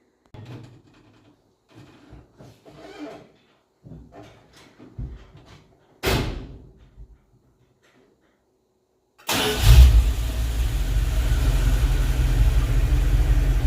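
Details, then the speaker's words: Freshly rebuilt Dodge 318 Poly (semi-hemi) V8 from a Utah pickup, cold after sitting a few hours, no choke: brief cranking, fires at once and settles into a steady, even idle; healthy start. "I didn't choke it nothing just boom fired right up"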